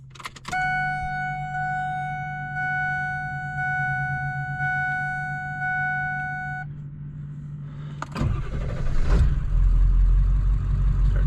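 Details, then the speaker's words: 7.3 Powerstroke diesel after replacing exhaust back pressure sensor with Motorcraft part (P0475 fix): catches within a second and settles into a steady even low idle under a chime; back pressure reads 0 at idle. "Starts up good. We'll let that load."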